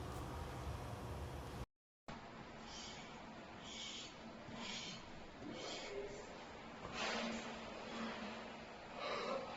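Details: SAMEBIKE LO26 II e-bike disc brake noise: quiet rhythmic swishing scrape about once per wheel revolution, typical of a rubbing or squealing disc brake.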